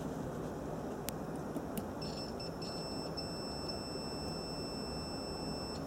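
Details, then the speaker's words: Ignition coil relay bench test, coil powered by an 11-volt RC battery pack, multimeter on continuity: steady high meter tone for about four seconds shows the contacts closing; relay works fine. "there you go so this relay is working perfectly fine"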